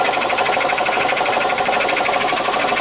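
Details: 2003 Honda Civic running: a harsh, fast, continuous scraping grind from the engine, possibly a failing pulley bearing at the front drive; cause suspected, not confirmed.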